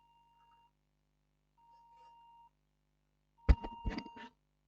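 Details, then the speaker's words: HP Pavilion G6 laptop with no display and 8 GB DDR RAM: three long, steady beeps near 1 kHz repeat while the fan spins at full speed and the RAM runs very hot, a memory fault. "you can hear the sound still beeping and the fan is spinning at full speed"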